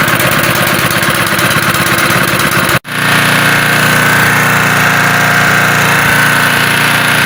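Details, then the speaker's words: Honda gasoline water pump that wouldn't start, after cleaning sand and dirt from the carburetor and servicing the air filter and spark plug: a small single-cylinder engine catches and settles into a steady, even putter, running normally. "Entonces, pues ya vieron que ya arrancó, ya funciona. Lo que tenía era pues que tenía mucha arenita, mucha tierrita en el carburador y ya lo limpiamos."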